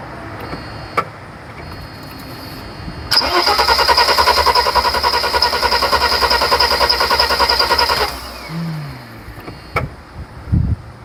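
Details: 1991 Mercedes 300SL being troubleshot for a no-start: the starter cranks steadily and quickly for about five seconds without firing. At first no fuel showed at the cracked injector, then only a dribble on number two.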